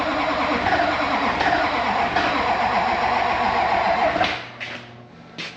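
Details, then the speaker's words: LB7 Duramax diesel after used injector install: long steady starter crank at nearly four beats a second, never catching; sounds like lack of fuel from a bunch of air in the fuel system. "That sounded like lack of fuel. Yeah. It is. It's got a bunch of air in it."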